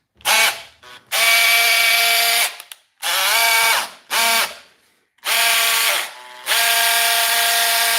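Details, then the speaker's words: Broken Makita drill being repaired with not-quite-matching eBay donor parts: short bursts of high buzzy whine with coarse ratcheting edge; gearbox sounds rough and unhealthy, repair likely unsuccessful, cause unconfirmed. "Hear that? That's not in good shape. That wasn't probably going to work anyway."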